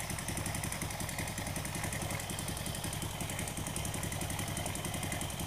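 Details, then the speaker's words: Honda Supra motorcycle after repair of plug fouling and black smoke, Kiwi carburetor air screw set about 1.75 turns: even, unbroken single-cylinder idle thump like a heartbeat, no stumbling or dying; normal idle. "Nah ini langsam terus dia, nggak ada matinya, nggak ada ndut-ndutnya, nggak ada, seperti detak jantung, enak langsamnya."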